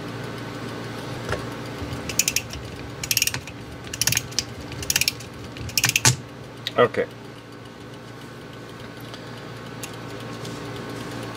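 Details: Antique Japanese Seikosha wall clock movement during disassembly, mainspring being wound tighter to fit a spring loop over the pillar; short bursts of crisp ratcheting clicks with each stroke; normal click ratchet while winding.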